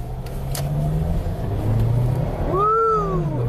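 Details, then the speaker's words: 2007 Acura RDX, 2.3L turbo four-cylinder, 210k miles, code P2263, after a repair that removed a turbo rattle, during a 0-60 test-drive run. Hard full-throttle pull with a clean rising turbo whistle and no rattle: full boost, spools up quickly. "yeah we got all the boost now that's very good performance watch the turbo gauge i want to spool up real quick spools up very nicely"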